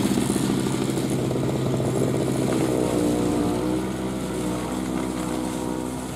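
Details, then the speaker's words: 2003 Murray single-stage two-stroke snowblower, first run in 5 years, cutting a path beside the garage: crisp, even buzzing beat, easing only slightly as it works through snow. Runs clean and healthy under load. "well she's a runner um even cut all the way path up the side of the garage into uh uh Summer Kitchen where she's going to be sitting"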